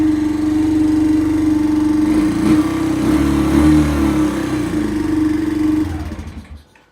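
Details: Kawasaki Bayou quad revived after not running: fresh gas, choke on, started by cranking the starter directly since the start button is not working. Single-cylinder chugs steadily and evenly for several seconds, then winds down and stops; normal running.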